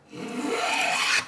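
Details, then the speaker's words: Long hand plane planing a vise-held board with the grain: one unbroken, even rasping stroke of about a second with no skips. The face is planed flat. "smooth cut, you know you got it flat."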